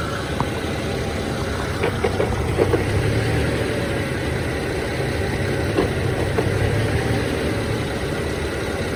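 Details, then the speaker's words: BMW E90 (manual), warmed up, accessories off, at idle: rough idle with intermittent sharp clacking clusters, only when clutch pedal is released, not when pressed; sometimes gone with A/C on; owner doubts throwout bearing; cause unknown. "but it doesn't make that clacking noise when the clutch is engaged so here I go I let it out you can hear it immediately it's it intermittent though so there it goes"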